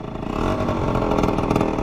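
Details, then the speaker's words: Aprilia SR 50 two-stroke scooter ridden at speed: raspy, puffy buzz with a ragged edge; loose exhaust pushed and worsening, leaking more at the cylinder, likely hurting performance; exhaust leak. "On va essayer d'empirer encore. Ouais, là il fuit encore plus. Donc ça ne doit pas améliorer les performances non plus."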